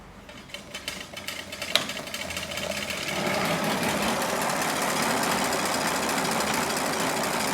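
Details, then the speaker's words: Trek Rail e-bike rear hub spinning up: loose, harsh rumble with uneven knocking from rough, worn rear hub bearings (Bontrager hub, Shimano freehub body), described as sounding dreadful. "so that's that other sound that you can hear uh is basically rumbling of the bearings in the hub you can actually hear it it sounds absolutely dreadful and there's definitely something going on uh in there in the hub"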